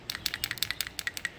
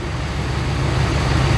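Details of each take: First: Dirty PCV valve removed from a 2001 Ford F-150 4.6L 2WD with rough idle, surging and power loss, found dangling uninserted: shaken, it gives uneven plastic-on-plastic clicks, no crisp metallic clink like a new valve; sticking. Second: 2001 Ford F-150 4.6L V8 2WD after PCV valve replacement (previously rough idle, gallop, surging and power loss; spark plugs and EGR already ruled out): smooth, steady idle with no lope, gallop or missed beats.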